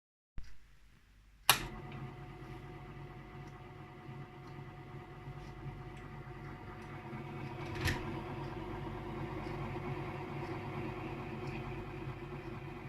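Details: Adler electric typewriter: after a click the motor settles into a steady low drone with a rough throbbing hum, sounding like a diesel locomotive or handcar; unusual motor noise.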